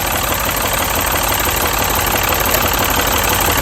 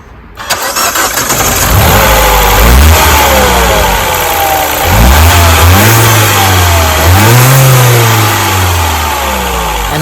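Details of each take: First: Mini petrol engine idling rough and uneven with a steady stumble; unplugging coils one by one found cylinder three's dead ignition coil, replaced with a new coil. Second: Mini petrol engine cranks, starts and revs smoothly with even firing and turbo whistle after replacing the faulty cylinder 3 ignition coil; misfire fixed.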